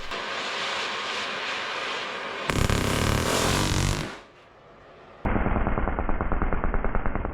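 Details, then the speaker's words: Oxy-acetylene cutting torch, after switching over to acetylene, cutting a thick skid steer bucket tooth bar: hissing flame breaks into rapid uneven popping, about three per second; flashback/backfire with flame burning back into the torch, something forgotten at changeover. "That's called a flashback or a backfire, same thing. The flame is going up into the torch."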